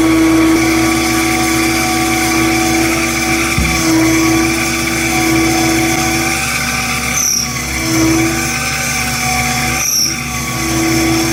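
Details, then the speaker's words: 7x14 two-speed mini lathe, stock motor, high speed while truing a block: constant droning hum with wavering whine over the cut; noisy, underpowered stock motor under load, performs poorly at low speeds, to be replaced with upgraded motor. "I have to say, that was pretty impressive, but it was a really high speed. It doesn't perform well at low speeds."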